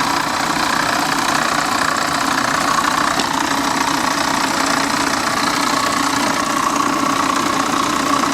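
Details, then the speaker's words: C4 Corvette at a salvage yard, fired up on its own, AC belt and pulleys removed: a rough tick about three per second over the idle from under the hood, suspected water pump, accessory or top end; source unclear. "I do hear a little noise under the uh hood here. I'm wondering if that could be just an accessory. What do you guys think? I don't know, man. That sounds uh that sounds a little sketchy, but she did fire right up on her own."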